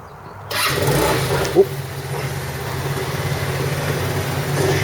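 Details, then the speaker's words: Roketa scooter after repair with new spark plug and adjustments, previously running rough once warm; catches after brief crank and settles into an even steady idle, no misses: normal start-up. "it runs like a top now runs even better than before so start it up for you"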